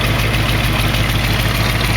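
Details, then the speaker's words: 1968 AMX idling: loud rumble with sharp, raspy puffing on each exhaust pulse, from an exhaust leak where two pipes were just stuck together, leaving at least a quarter-inch gap. "a lot of that's because these two pipes here when they put them on they're just stuck together you can hear it at least a quarter of an inch of gap between the two pipes"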